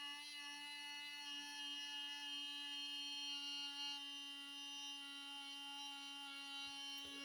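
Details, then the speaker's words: HP 15 laptop cooling fan with a steady loud high whistle over the fan rush, worst at power-on and present in any orientation; fan suspected dying or worn. "очень сильно шумит вентилятор особенно при включении сейчас Давайте посмотрим Ну вот это ещё скажем так звук более-менее бывает очень сильный свист непонятно что"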